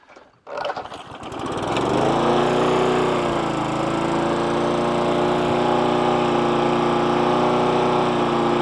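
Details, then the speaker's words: Hayter 41 mower that hit something hard and would not start, after spark plug, carb clean and tank flush: pull-start catches within two seconds into an even, steady run with no hunting; no longer labouring, normal running. "it's actually sounding better already if you go back to the original part of the video you hear it laboring a little bit that's now running much better yeah sounds better"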